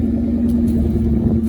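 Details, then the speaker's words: 1996 Ford Mustang GT convertible idling after startup, exhaust note heard during walk-around: even, steady low burble with no knocks, ticks or misses; idling smoothly and sounding good. "Let me take you a walk around tour now that it's running. Hear that exhaust note. Tell you what, this thing sounds good when you get her out."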